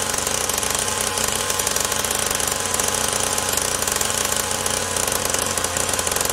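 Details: SYX Moto Holeshot 50cc two-stroke after repairs and idle-screw carburetor adjustment: fast steady buzz with crisp even crackle, no misses or hunting; running properly.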